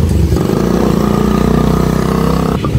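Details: Honda XRM 125 motorcycle engine two days after an overhaul, running fast: fairly hard, even tapping under the exhaust note; a knock inside the engine.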